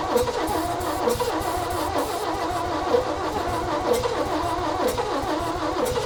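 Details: 1965 Chevy rollback engine with rusted cylinders, corroded pistons and a number two valve not seating, cranked without fuel or starting fluid: starter churns at about one beat a second, even rhythm, never catches; crank no start.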